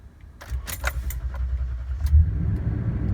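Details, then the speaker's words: 2014 Toyota Tundra 5.7L V8, about 85,300 miles, 87 octane, after sitting 8 to 9 hours: the starter cranks for a couple of seconds, about twice as long as normal, before it catches and settles; hard start, cause unconfirmed (battery suspected). "did you hear that took a little bit kind of a hard start there"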